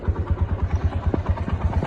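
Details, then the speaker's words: 180 cc motorcycle idling: steady low thump with a light clattering rattle from a very loose timing chain; the tensioner has reached the end of its adjustment, and the chain is to be replaced. "हैं क कक की आवाज आ रही है यह tensioner होता है जी ये एडजस्ट करता है चैन को अब इसकी एडजस्टमेंट फुल खत्म हो चुकी है इसका मतलब चैन जो है ना बहुत ज्यादा लूज हो गई है"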